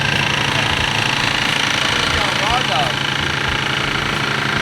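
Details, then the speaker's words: BMW E36 wagon engine on second day after first start, cold start to warm up: busy, even top-end clatter over rough idle as bled-down lifters tick until oil pressure builds; lifter tick on first start. "not excited how loud the head's going to be right now still not nearly as bad as it was yesterday it sounds worse than"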